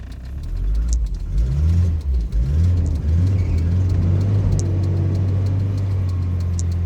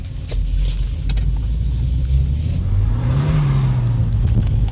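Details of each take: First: Volvo 940 Turbo (manual) that died because it ran out of fuel (the fuel gauge is broken): after refuelling it catches after a moment, revs up and settles into a steady low idle. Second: Volvo 940 Turbo (manual) after a pressure issue was fixed: deep engine note climbs smoothly at full throttle in third gear with no hiccups or misses; running better than ever.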